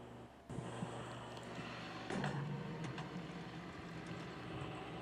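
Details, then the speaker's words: Reach-in freezer at a lunch shop, complaint of loud noise and not getting cold enough, evaporator frosted over: steady fan hum with irregular scraping ticks as the evaporator fan blade hits ice on the coil. The fan motor itself is okay. "You can see the noise he was complaining about was actually the fan blade hitting the ice on that coil. The fan motor is actually okay, but the blade was making the noise."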